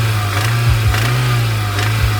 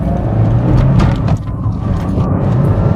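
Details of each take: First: 1992 Toyota MR2 started for the first time after a fuel pump replacement: a low engine drone with sharp knocks cutting through, from a failed connecting rod bearing. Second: 1992 Toyota MR2 on the road after engine knock repair, revved all the way out: smooth engine note rising and falling under road noise with no knocking; healthy engine, though the check engine light is still on.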